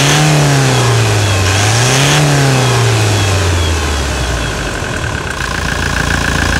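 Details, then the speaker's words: Toyota Hilux single-cab diesel, ex-Brazilian Air Force pickup, engine freshly overhauled (the fuel filter housing had been found mounted backwards): steady, even idle, then smooth revs rising and falling with a clean return to idle; normal. "e é muita melodia é o urro bestial de um animal selvagem de tiranossauros rex"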